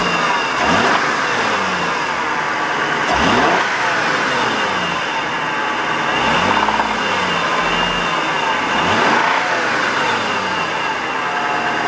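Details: 1992 Acura Legend with a swapped engine believed to be a 1995 unit, blown head gasket suspected: after overheating, revving brings an uneven knock that quickens with rpm. Owner suspects rod knock rather than piston slap and will pull the oil pan to check bearings.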